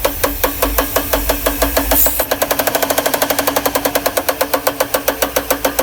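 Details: 1992 Mercedes R129 500SL M119 V8 with a sharp, regular knocking that speeds up with revs, caused by the top left plastic timing chain guide rail in the cylinder head broken off at the bottom; it began after revving to clear a misfire from damp distributor caps.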